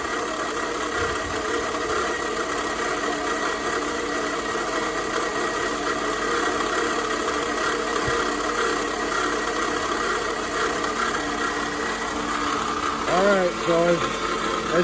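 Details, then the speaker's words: 2004 Toyota RAV4 2.4 L four-cylinder at idle, before repair: steady idle with a constant harmonic rattle over the engine; owner is nearly sure it is worn water pump bearings and replaces the water pump. Water pump bearing rattle. "you can hear that sounds like total crap so I'm pretty sure what that is is the uh the bearings in the water pump and I have a new water pump"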